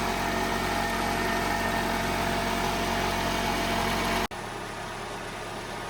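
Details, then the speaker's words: 2010-2011 Toyota Camry 2.5L 4-cylinder at 280,000 miles, first start after alternator rebuild, battery at 12.5 V: busy, clattery idle with fast even ticking over the engine hum, then quieter; owner calls the engine noisy, cause unknown. "Worked. Man, that's great. Yeah, this engine's noisy. It's 280,000"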